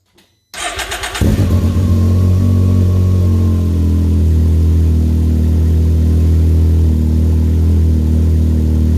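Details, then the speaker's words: Can-Am Maverick X3 turbo right after a Yoshimura exhaust install, O2 sensor hooked up, camera near the pipe leaving the turbo: the starter cranks briefly and the engine settles into a steady, deep, even idle. Normal start. "So the instructions say to let it run at idle for 5 minutes. I'm going to start it up and while I clean up tools and see what happens."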